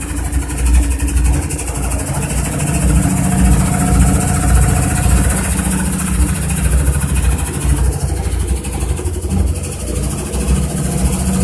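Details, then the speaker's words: Washing machine spin cycle with heavy deep rumble and loose thumping about two beats a second, strong vibration; basket loose, worn spider suspected, missing screws found. "la canasta está suelta puede ser desgastó en araña por acá suelta vamos a revisar en el centrifugado de ruido y ruido así"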